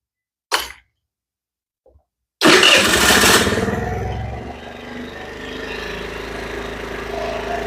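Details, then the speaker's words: 2022 Chinese scooter after fixing a bad carburetor: short crank, catches at once and settles into steady, even warm-up idle, idle adjusted to drop slightly once the enricher comes off; starts easily and runs smoothly. "when the enricher comes off it should idle [Music] down about right there little bit higher"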